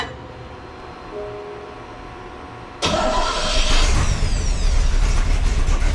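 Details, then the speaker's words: 1966 Chevy C10 with small-block 350 V8, just after a starter replacement: quiet, then the starter engages cleanly and the engine catches straight into a strong even run, no screech or grinding; normal cranking and start. "Make sure everything's engaging properly, make sure there ain't no screeching or weird noises."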